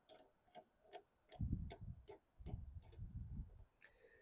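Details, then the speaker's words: 2008 Toro Recycler model 20065 mower drive wheel rolled backwards: crisp, even clicks about every 0.4 seconds as the one-way ratchet freewheels, which is normal; the ratchet catches when the transmission is engaged. "It can turn backwards at any time, but then when the transmission's engaged, it catches. You can hear it clicking."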